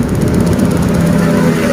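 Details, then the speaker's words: Yamaha Vega ZR / Jupiter motorcycle that started on the kick starter but not the electric starter: after the weakened pulser's gap was bent about 1 mm closer, the single cylinder fires on the electric starter and runs with an even, quick beat and no misses. "langsung berhasil 100% berhasil berarti di sini yang menjadi kendala itu pada bagian pulsernya sudah mulai melemah"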